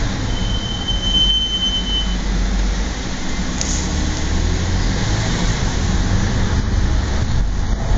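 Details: Audi S4 B8 rolling on the road in mild spring temperatures: sharp, high-pitched squeal holds about two seconds over low road rumble, then fades; extreme brake squeal.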